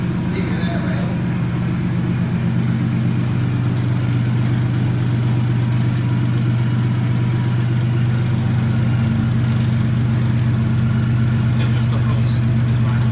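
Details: Nissan S13 with 1JZ swap, first startup after a dead battery and cold day, still blowing a fuse: deep steady idle holds smoothly with no misses or knocks; starts and idles fine.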